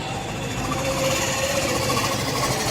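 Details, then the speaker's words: Hero BS6 Super Splendor single-cylinder idling after repair with double packing fitted and settings adjusted; steady idle with light even mechanical patter, no uneven knocks; earlier recurring problem of repeated failure and resulting engine noise now resolved; normal idle. "इसके हमेशा की जो problem थी की इसका बार-बार निफ़्टार खराब हो जाता था और इसी की साउंड बैंड बनाने ग जाति है केपीटीसी आवाज करने ग जाते थे यह हमेशा का प्रॉब्लम खत्म हो चुका है"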